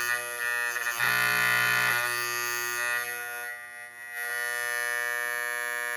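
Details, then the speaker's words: GE Telechron Tela-Alarm Jr. clock after frozen rotor repair: loud, steady electric alarm buzz whose pitch shifts as the tone controller is adjusted like tuning a radio, then settles to an even drone; working properly. "That's nice and loud. And of course, with the controller tone, you can adjust that. You can have it be like that. You can have it be like this. It's almost like tuning a radio, isn't it?"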